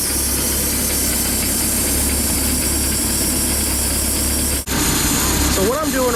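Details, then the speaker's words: Bayliner 175 boat, MerCruiser 3.0 engine, warming to operating temperature: steady idle with soft airy hiss from turn-key start (TKS) system that fades as it closes, idle smoothing out; normal. "this also allows the turn key start TKS system to go ahead and close as you're listening right now you can hear that hissing going going away also engine idle now is smoothed out"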